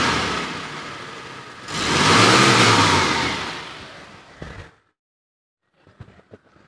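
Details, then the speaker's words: 2013 Mitsubishi T120SS 1.5 fuel-injected pickup, cold engine not yet warmed up, dry with no oil seep: revs swell smoothly and settle back with no misses, knocks or rattles; normal revving. "kondisi oke aman mesinnya itu kering gak ada rembes oli suaranya juga normal masih halus injeksinya normal nggak ada masalah"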